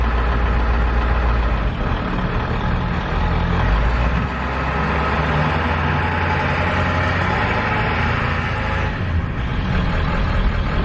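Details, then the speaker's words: 7.3 diesel van after starter replacement: deep, steady diesel rumble at idle with even beat, no knocks or misses. Normal diesel idle. "they fired right up but it fired and now it's running we're good"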